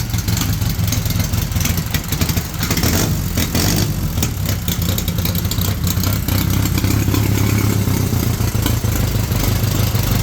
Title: FIRST START IN 50 PLUS YEARS; 1931 EXCELSIOR HENDERSON KJ